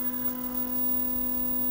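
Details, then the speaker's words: 1977 Thorn 8800 chassis TV, switched on after a new capacitor was fitted: a steady low hum with a faint high whistle. The isolation transformer hums under the set's load, with EHT rustling audible. "That humming noise you can hear in the background, that's the isolation transformer. For some reason, it doesn't seem to like this set."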